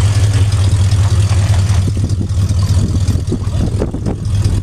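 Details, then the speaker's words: Bronco V8 with a carburetor possibly from a 351 or 302, jets suspected wrong, already warm, choke set by pumping: steady, even lumpy V8 idle with no misses or knocks; idling pretty decent. "but as you can hear it's idling now and running pretty awful decent"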